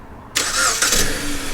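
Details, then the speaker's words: 2017 Jeep Patriot after replacing spark plugs for P0302 cylinder 2 misfire (stalling later traced to bad battery): brief crank, catches at once, smooth even idle; normal start. "Yes, sir. That's how it's supposed to sound."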